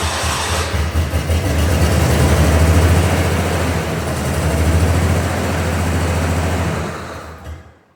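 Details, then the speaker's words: Ford Bronco II running with no exhaust, fuel pressure about 40 psi cranking (10 psi on first prime): engine held at high throttle, lumpy uneven drone then dies; running like garbage, owner plans to check the distributor; rough running, unconfirmed. "And then I'm also going to double check tomorrow the distributor because it's running like garbage, quite frankly."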